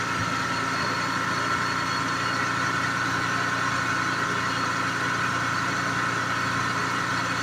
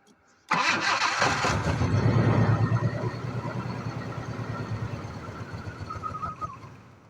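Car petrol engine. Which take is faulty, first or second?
second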